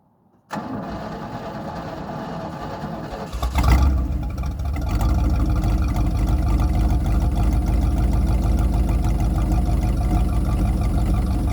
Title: 253 V8 Running With Vacuum Leak